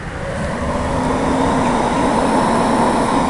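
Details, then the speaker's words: Goodman GPH heat pump package unit after an evaporator coil replacement, with the fan switched on: the blower spins up quickly to a steady, even rush of air with a low hum. A normal fan start. "hear the fan come on there"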